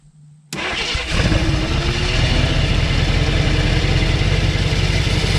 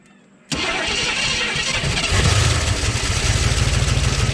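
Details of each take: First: 1969 AMC Rebel V8, complete engine, believed unrun 15+ years, first start attempt fed gas: brief crank, catches and runs under rough uneven gnashing drone as starter Bendix drive stays stuck engaged. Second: 1969 AMC Rebel, unrun an estimated 15+ years, started with no coolant: engine fires on the first try and settles straight into a steady, even idle with no knocks or misses; sounds healthy, normal start and idle.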